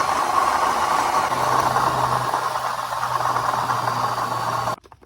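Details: 2006 Crown Victoria / Grand Marquis V8 idling with a rough, uneven rattling grind from a failing water pump. The pump was leaking with sludge inside and was replaced.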